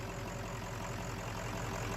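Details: Kill Devil 600HP 6.0 Powerstroke crate diesel in a Ford Excursion, first start after replacing a shorted main engine harness: a steady, even diesel clatter at idle with a regular low beat and no misses or knocks; a normal idle.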